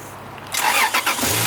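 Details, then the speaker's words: Lexus IS300 after a dead battery with dimming lights, jump-started from a 2,000 A booster; starter spins the engine briskly and evenly with no dragging, normal healthy cranking. "You hear the way it cranks? It actually sounds pretty healthy."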